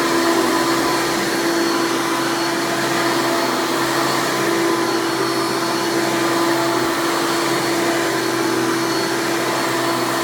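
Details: 1996 Hoover Legacy (Elite Supreme) Dirt Finder U5103-930 upright vacuum, direct-air fan motor, running: loud, steady high-pitched scream, even motor tone, no surging or rattles; healthy old upright vacuum motor.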